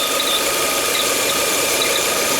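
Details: Peugeot 408 2.0 16-valve EW10 at idle with check light, unstable idle and catalyst/O2 faults: steady high squeal like a dry belt roller, though belts and rollers were already replaced; it is a vacuum leak through a torn PCV diaphragm.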